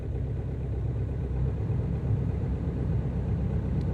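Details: Ford Focus 2.0 TDCi diesel cold-started at about -18 to -24 °C after a night outside; after a hard start it settles into a deep, steady, smooth idle with no misses.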